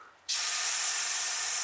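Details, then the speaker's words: Triumph Spitfire MKIII cooling system pressurized: sudden steady high-pitched hiss as air and coolant foam leak from a silicone radiator hose. "tell you what this thing here is help full look at that it's just foaming right out of there"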